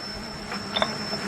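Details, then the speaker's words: Rebuilt 1922–23 M-Type treadle lathe turning phosphor bronze stock, with a new synthetic belt replacing the leather one: light, sharp clicks over a low hum as the belt joiner passes the pulleys; normal. "so here we go the clicking you can hear is the Joiner on the"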